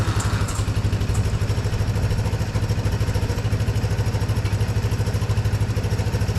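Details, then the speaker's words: 1982 Honda ATC 200 Big Red three-wheeler, first start after storage and repair, in neutral and low range: low, steady putter at idle with even firing and no knocks or misses; runs quiet, though the carburetor still needs slight tuning. "We have to tinker with the carb just a little bit. But so far it runs nice and quiet, doesn't."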